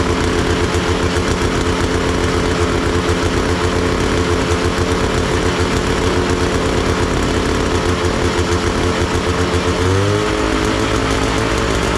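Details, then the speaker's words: Big Max 6x6 amphibious ATV, 440cc two-stroke, revived after sitting: a busy, uneven buzz that never smooths out and dips in pitch near the end, running over-rich with the choke on; the owner suspects one of the carburetor adjustments. "something still still ain't quite right here I think something there's one of the adjustments more than more than anything"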